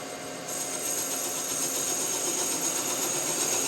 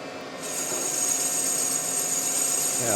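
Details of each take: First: Kubota D902 diesel block in the machine shop, boring cutter facing the top of a sleeve: harsh, rasping scrape with steady chatter, rough rather than clean; cutter is dull and was swapped for a sharper one. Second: Kubota D902 diesel block, cylinder sleeve bored on the final cut with a sharper replacement cutter: an even, steady high-pitched cutting hiss with no chatter or squeal. Clean cut, unlike the dull cutter's nasty sound before.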